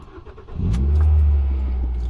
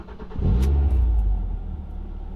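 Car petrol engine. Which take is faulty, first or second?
first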